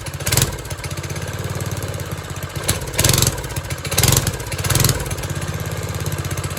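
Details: 1970s trike (believed MTD Mud Bug) with a small, believed 5 hp, John Deere replacement single, sitting 5–10 years; after resetting the carb screws to 1.5 and the over-cranked idle screw, it chugs evenly, picks up cleanly on blips and settles to a steady idle.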